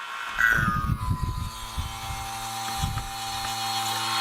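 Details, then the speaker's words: Isuzu Elf A/C system after compressor install, vacuum pump connected with gauges on high and low sides: steady whirring pump whose note changes when the gauges are opened, later reaching -29 to check it holds; normal vacuum pump running. "So now I'm going to start the vacuum and then open the top gauges. Where's the little switch on this? There it is. Okay. But you hear the pump change once I hit it."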